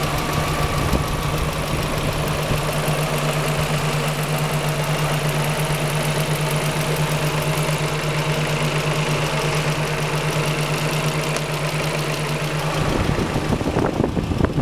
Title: engine knocking noise 5th gen honda prelude (bent valves?)